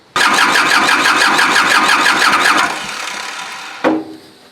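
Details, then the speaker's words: Kubota L2350 diesel tractor with water in the fuel, bleeding the injector lines: it cranks about three turns a second for 2.5 seconds without firing, no glow plugs used; no start from air in the fuel lines. "these things are hard to start when you're not using glow plug so the fear of starting i don't think it will start right now because you gotta have glow plugs of fire"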